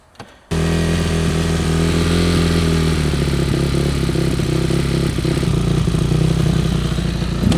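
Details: Yamaha YZ450F motocross bike after oil change, carburetor cleaning and hot-start fixes for starting problems: catches after a brief crank and settles into a steady, even beat with clean throttle response. In neutral; normal running.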